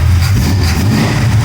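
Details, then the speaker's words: Pontiac with Oldsmobile 350 V8 on headers: deep even rumble as it revs, quiet with no knocking, slight valve train noise at higher rpm; belt not fully tensioned; engine running smooth and healthy. "So sounds awesome. And the motor is quiet. You can't hear a beat out of this motor. You hear the valve train a little bit"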